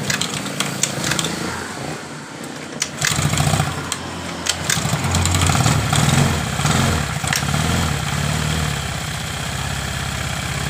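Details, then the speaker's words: Honda Vario carburetted scooter, dead after an earlier engine rebuild/oversize, started on a bottle fuel feed bypassing the automatic fuel tap: catches and settles into a steady fairly even idle; runs normally, confirming the automatic fuel tap as the fault. "hidup dengan normal berarti saya pastikan bermasalah di motor ini di kran otomatisnya ini yang jadi permasalahan dari motor ini"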